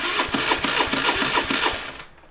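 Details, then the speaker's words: 2008 Honda Today NVS50 50cc scooter restomod with the coil and start solenoid just plugged in and a flat battery: slow, labouring crank pulses about three a second fade out and it never fires; the no-start cause is still unknown. "we still have the same problem so not start solenoid uh something definitely aai with the bike"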